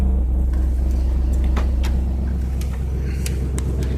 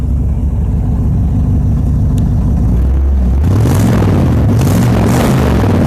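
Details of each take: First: Trans Am with a manual choke at cold start: a deep, steady rumble with an even beat of about two pulses a second and no knocks or misses; normal, healthy cold idle. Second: Stock mufflers worn and burned out, no catalytic converter (just a pipe clamped in its place): deep, booming V8 rumble swells loudly with each throttle blip; engine runs decently with great oil pressure, loud exhaust from worn mufflers.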